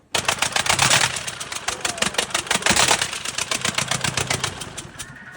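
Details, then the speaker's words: Diesel T-40 tractor running with the exhaust removed: harsh, rapid cracking blasts from the open exhaust port as fire blows out of the cylinder; teardown found a blown sealing ring under the injector, which possibly let fire through. "Оказується, судово садив вогонь. Дивіться, пацани, сюда садив вогонь. Під форсунку було пробити це кольцо отаке."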